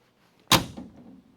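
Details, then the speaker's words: 1969 Dodge Coronet 500 sedan, driver-side rear door closing normally. A single clean, solid thump of the latch hitting the striker, with no extra clunk or rattle. "That's the noise you want to hear. Just the sound of the latch going. That's all you want to hear."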